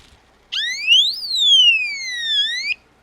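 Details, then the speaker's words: Power-fail alarm for an aquaponics system: loud, piercing electronic warble sweeping up then down for about two seconds; the power-off alarm sounding. "So this is just a little power off alarm. It's quite loud."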